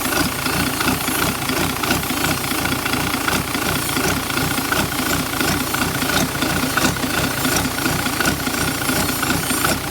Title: ทดสอบรั่วซึมเทอร์โบ hx50Sound show Pente na Turbina,cantando turbina,hissing sound in turbo.